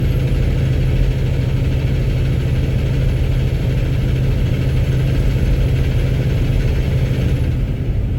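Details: Cummins X15 diesel at idle: harsh loud clatter under deep low rumble, sounding like rod knock or low oil; cause unconfirmed.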